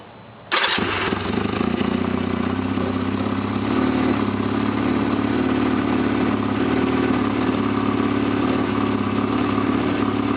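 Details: 1991 Honda Nighthawk CB250 engine with rebuilt carburettor, started cold: catches instantly and settles into a steady, even idle with no stumbling, tapping or misfire; a healthy cold start.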